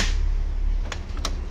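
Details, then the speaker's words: Brother DCP-L2541DW printer with the duplex tray reinstalled; noise stops when the tray is removed, so its gears are worn. Low motor hum with sharp uneven clicks: worn duplex tray gears; fix is replacing the two gears or the tray. "यानी कि हमारी duplex tray में जो गियर लगे हैं वो ख़राब हो गए हैं इसके।"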